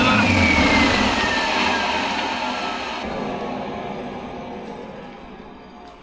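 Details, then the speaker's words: 600-hour Detroit 6V92 487 hp two-stroke diesel fire pump engine with 125 injectors, run outdoors off a fuel jug: loud steady high-revving roar, even with no misses, knocks or surging; runs perfectly at high rpm. "oh boy she is a repper oh man that thing just runs perfectly dude God it sounds good too"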